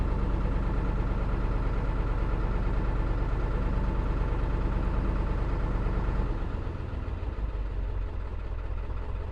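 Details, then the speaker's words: 2002 Ford F-250 7.3 Powerstroke diesel cranked after the ICP sensor was replaced: labored cranking into an uneven, lumpy idle that never settles, with the check engine light on; owner wonders about the fuel filter. Rough idle from a failed injector drive module. "that is still a crank but it is not happy that is running very rough"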